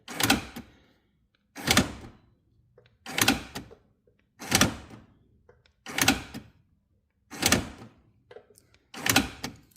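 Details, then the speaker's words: Rover 75 with secondhand door lock actuator fitted: seven short whirring thunks about every second and a half as lock cycles, motor audibly working but not locking the door. "but it's just not doing the locking bit. So, I think we'll take this back out again and see if there's something wrong with it."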